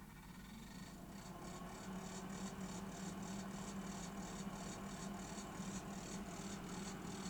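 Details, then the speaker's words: Salter EK5872 air fryer with one side not heating, partly reassembled and run on raw mains at very low temperature on the faulty side two: steady low fan whir with faint light ticking about three times a second, possibly just mechanical noise; fan motor blowing normally. "Is that making a funny noise? Certainly seems to be blowing though. What do you make of that noise? That could be just mechanical noise."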